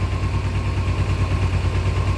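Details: 2000 Kawasaki Ninja 250, stored about a year, with carbs only cleaned and a rebuild kit still needed, and Marvel Mystery Oil added: low, lumpy idle that wavers and stumbles. Likely fuel-related.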